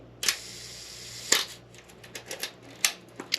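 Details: Old film camera checked as a potential purchase, shutter set to one second: two crisp clicks about a second apart as the shutter opens and closes, then winding clicks. The slow speed times correctly.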